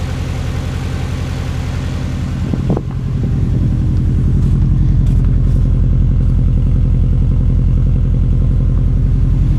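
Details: 2002 US Subaru Impreza WRX cold flat-four at idle: steady low rhythmic knock about 160 a minute over exhaust burble; cold piston slap.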